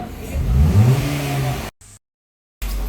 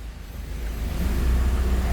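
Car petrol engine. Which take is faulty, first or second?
first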